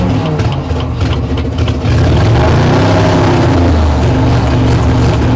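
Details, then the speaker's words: 1960 Chevrolet Impala four-door V8 that sat for decades, first run after carburetor floats began seating; runs on its own, seemingly on all eight, but idle pulses up and down in a slow surge, cause not yet known. "I don't know why it's pulsing like that I'm not 100 sure why it's doing that"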